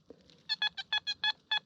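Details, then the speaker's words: Metal detector on hot program 9 at 25 kHz swept over a single pound coin: crisp, even high beeps about six to seven a second, a clean solid non-ferrous coin signal. "That's your pound coin. Lovely straight line."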